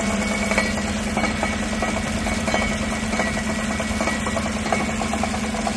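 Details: 2016 Tahoe 5.3 V8 with 140,000 miles, no check engine light, idling and heard underneath at the exhaust: an irregular, loose metallic rattle. Part of the driver-side catalytic converter's insides has come apart.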